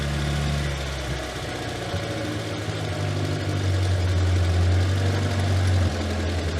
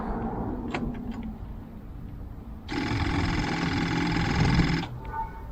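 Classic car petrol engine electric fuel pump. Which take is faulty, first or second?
second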